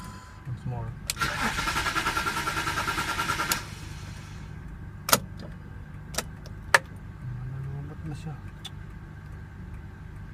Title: Bmw x5 2006 3.0i cranking wont start